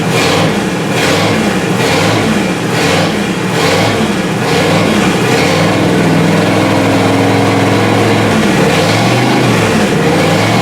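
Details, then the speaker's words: 1955 Buick after distributor gear replacement, static timed at 5 degrees, points cleaned and reset: catches, blipped up and down a few times, then steady even run with no misfire; running fine. "That's good enough for me. Got it warmed up a little bit."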